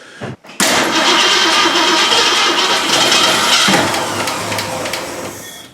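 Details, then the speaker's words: 1965 Mustang barn find sitting 15+ years, after cleaning: starter spins the engine steadily for about five seconds, never catches; battery was charged, likely needs fuel in the carburetor; suspected, not confirmed. "why is that cracking so hard is that battery dead uh that well i had a charge so no it was on charge to charge it i think we better uh put some gas in the carburetor again"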